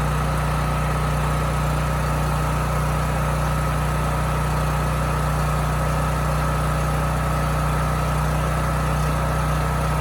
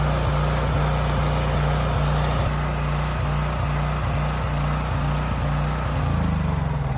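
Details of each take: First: Homelite generator that hunted and surged at no load, running again: smooth, even low drone with no hunting or surging; holds constant speed. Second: Homelite generator bought running, before repair, oil likely never changed, just after a 3000 W load was switched off: a thumping firing rhythm that wavers and sags at no load. It hunts and surges, and the owner expects a dirty carburetor.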